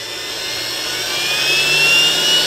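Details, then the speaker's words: Perfect 10L commercial vacuum, dead with a burnt plug and bad DPST switch, fed by variac through a replacement controller while watching current: 2 A at 7 V the motor begins spinning, 2.6 A at 9 V; soft whir rising, no short. "okay 2 amps at 7 volts and i'm starting to hear the motor spin 2.6 amps at 9 volts you can hear it now"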